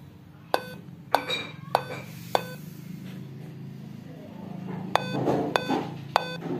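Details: Dell Inspiron 15-3521 laptop at power-on: sharp single beeps spaced unevenly about every half second, no display; keyboard fault suspected as cause; laptop POST beep code, no display.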